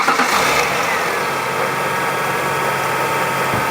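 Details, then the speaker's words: Engine restarted after a power steering fluid change, once the engine had cooled. Even, steady idle with no whine, groan or squeal from the pump. Finding: normal power steering pump at idle. "you can hear the power steering pump sounds normal now"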